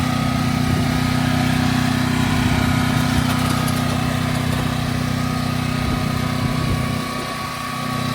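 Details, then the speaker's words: Westinghouse WGen9500TFc tri-fuel portable generator, new, initial start-up: steady, even engine drone with constant low hum, no knocks or surging; normal running, louder than an inverter generator. "It's not horribly loud. It's It's definitely more than an inverter generator, that's for sure."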